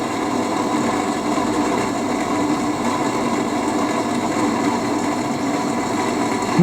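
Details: HP 8901B Modulation Analyzer, original cooling fan before replacement, SPL and noise spectrum measured with RTA for before/after comparison: constant airy whir with a rough buzzing hum at steady speed; worn, noisy cooling fan.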